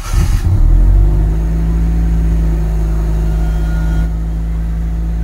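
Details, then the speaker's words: 1996 Honda City with check engine light and erratic idle: a deep, low idle that won't settle and sags noticeably partway through. Unstable, hunting idle. "So ang problema nito is check engine light. Pabago-bago yung menor."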